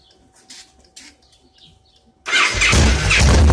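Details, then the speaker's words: 2002 Victory V92 that sat outdoors about eight years, apparently weak battery, starting fluid used: quiet, then starter catches and the V-twin fires straight into a steady, lumpy idle that keeps running. "wow sounds like we got us a winner here folks"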